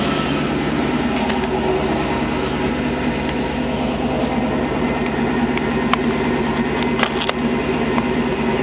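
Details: 1997 Ford F250 HD 2WD, 351W 5.8L multiport EFI, 5-speed, modified; loud, open-sounding V8 idle with even, steady lope, no misses or knocks; engine reportedly burns no oil; healthy idle.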